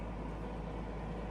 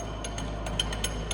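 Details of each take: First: Stanko 1M636 heavy-duty lathe (Russia), spindle at 160 rpm: steady, even low hum from the gearbox and spindle with no knocks or grinding; running healthy. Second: Stanko 1M636 heavy-duty lathe (Russia), 600 mm 4-jaw chuck, spindle at 50 rpm: light metallic clicks several times a second over a steady low hum; loose chuck jaws rattling, silent once tightened, no noise from gearbox or spindle.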